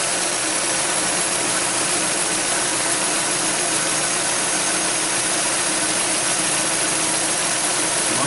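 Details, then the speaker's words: 2007 Ford Edge 3.5L DOHC, cold after sitting a couple of days, idling after spark plug replacement: steady high-pitched chirping from the rear accessory belt, which quiets briefly when sprayed with water; most likely a dry belt slipping, not a vacuum leak. "as you can hear the noise is coming back from that belt that means it's most likely pretty dry I use water so it's dissipating quickly"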